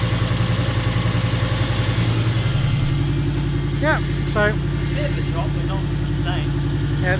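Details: Toyota 1UZ turbo V8 in neutral at idle, after rattly sounds on track: deep, even idle with a faint loose knock about three to four a second; big end bearings failed, suspected from poor, hot, wrong-grade oil; metal in oil, oil pressure fine.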